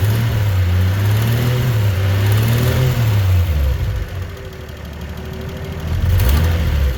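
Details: Turbo six-cylinder idling and revving: rough puffing exhaust note, a weird noise from the turbo area; leaking exhaust manifold gasket.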